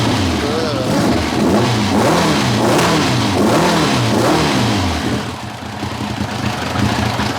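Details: 1990 Kawasaki ZZR1100 that began running on three cylinders, plug leads on cylinders 2 and 3 being swapped to trace it: lumpy, uneven exhaust beat through throttle blips, stumbling as a cylinder drops out. Cause not confirmed.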